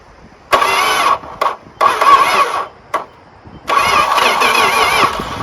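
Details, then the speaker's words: Dodge Dart sitting since 1992, start attempt: a few short cranking bursts, a stumble, then it catches and settles into a steady, even run on its own; normal start and idle. "hey it's sitting there running it was running by itself just running"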